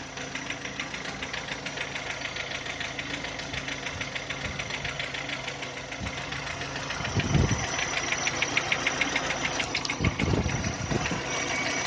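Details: VW Touran 2010, 1.6 BSE engine rebuilt about 15,000 ago (oversize pistons, valves, hydraulic lifters), cold after two days parked: sharp regular ticking about three per second once idle falls below 1000 rpm, gone above 1000, lasting until warm, seemingly left side; cause unknown.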